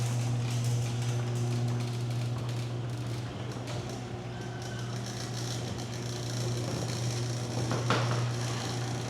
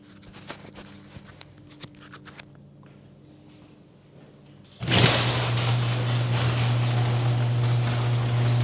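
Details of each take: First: Garage door opener running after lubricating every metal contact point, mic strapped on the emergency release cord: steady low motor hum, light even chain clatter, no squeaks, sticking or binding; much quieter than before the maintenance. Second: Garage door opening before lubrication and maintenance, mic clipped to opener's emergency release string; light clicks, then loud opener hum and harsh rattling rumble, not smooth or quiet, from a dry unlubricated door.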